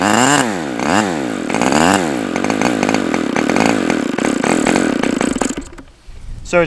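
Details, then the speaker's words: OS Max H60 model engine, first outdoor run, possibly mismatched carb: repeated rising and falling sweeps, never steady, then cuts out; fuel spraying out, owner suspects too rich. "strange I saw a whole bunch of fuel spraying up out of here so it's like it seems like it wants to start running but then it just gets too rich and that might be a factor of"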